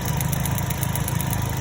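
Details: 2010 Chevrolet Cobalt 2.2 after repair: missing ground fixed at the starter relay and MAF sensor (P0102 cleared), bad cylinder 3 coil replaced. Smooth, even idle with a steady low pulse and no stumbles or skipped beats; runs cleanly without misfire.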